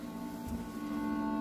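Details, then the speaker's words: 1980 Bally Skateball pinball machine at game start: the last sound-effect note drones on unchanged from the cabinet speaker without ending; sound board had been sent out before, cause unknown. "we got some sound effects and we got but that last note doesn't end you can just hear it"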